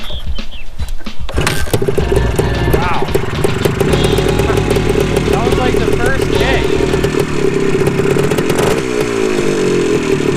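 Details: Restored 1974 Honda MT250 Elsinore two-stroke, warmed up, running while the newly wired kill switch is tested: a steady, crisp buzz holding an even pitch with no misses or knocks. Normal warm running.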